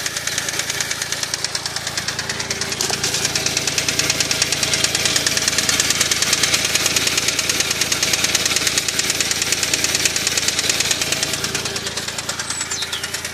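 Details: Smart Roadster at idle: a steady, fast, crisp knock at about three per second; engine knock that the owner was told might be the big end bearings, possibly needing a crank regrind or replacement, unconfirmed.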